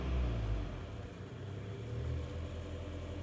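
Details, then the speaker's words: Mitsubishi Outlander 4B11 petrol, 2014, 196,000 km, after cylinder sleeving to standard size for scored cylinders and a cold-start knock: a quiet, low, even idle rumble with no piston noise and no errors. "ровненько работает тихо никаких ошибок ничего нет главное тишина всё поршня не слышно"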